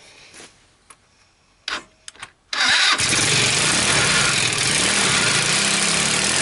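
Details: Salvaged Sunl Alias 150cc side-by-side, first start on a used GY6 portable CDI with no throttle cable: a few quiet clunks, then it catches at once and runs steady and even with no misses.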